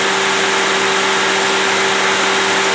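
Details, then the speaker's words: Chevrolet Spark 1000cc with AC on, after ECU data manipulation fixed throttle-body and idle-up signal from jumpered AC wiring that caused stalling: steady idle with even compressor whine, no dips or shaking; idle now normal. "dia udah normal"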